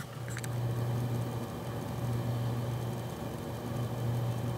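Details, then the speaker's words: Thermalright Assassin Spirit 120 EVO Dark CPU cooler on Ryzen 9 5900X, rated 27 dB: quiet, even hum at 50% fan speed; smooth, no rattle or grind, healthy. "as you can hear you can barely hear it 100% fan speed as you can hear does have a little bit of a wine but it's not the loudest a cool I've ever he in my life"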